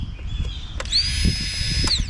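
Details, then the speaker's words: Polaris Sportsman 700 twin EFI, new fuel pump bench-wired and key turned on briefly: high whine rises quickly, holds about a second, winds down; normal fuel pump prime, old pump was the problem. "as you can hear pumps kicking on I know the pump was the problem"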